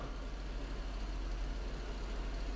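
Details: 1991 Mercedes-Benz R129 500SL, cold start after replacing the idle control valve hoses, during California emissions prep: deep steady drone with a gentle, even throb as the air pump runs normally before it shuts off.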